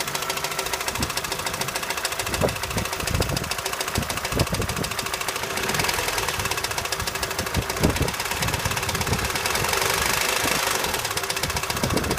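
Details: 2006 Opel Astra H Z16XEP, knock appeared at 170,000 km, revved: sharp irregular knocking growing busier with rpm over rough engine note; shop suspects intake manifold and Twinport flaps, plus valve cover breather valve; cause unconfirmed.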